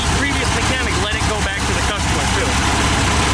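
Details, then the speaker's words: 1971 VW Type 3 Squareback after electric fuel pump install, warmed up: steady raised busy idle, far too high; carburetors clearly out of sync, possible intake manifold leak suspected; timing to be set. "So let's get the timing set now that it's warmed up. Boy, that thing idling so high."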